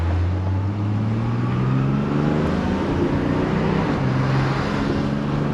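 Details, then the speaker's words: Mercedes 280SL project car on first test drive after brake restoration, at operating temperature with 45 psi oil pressure: smooth engine note climbing cleanly through the gears under load, no knocks, misses or whine; healthy engine. "boy she sounds good signals are working like operating temperature got 45 pounds of oil pressure so so far so good"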